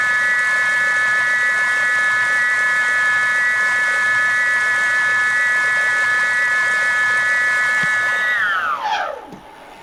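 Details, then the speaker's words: BBS02 mid-drive e-bike motor, rotor repaired with JB Weld after 72V damage, spun on stand: loud stacked whine, oscillating, spinning down, stall timeout triggering; cause unclear, owner suspects free-wheeling current setting. "I think that noise like it just sounds really loud now it's working but it seems really loud"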